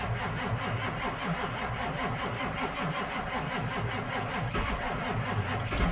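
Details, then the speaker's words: Ford 7.3 Powerstroke diesel truck at a cold January idle after glow plugs, with a loud, uneven metallic rattle from the bell housing in neutral that quiets in reverse, drive, or any gear; owner suspects a transmission issue. "pretty sure you can hear what I'm talking about does not sound good however I put it in gear that noise goes away"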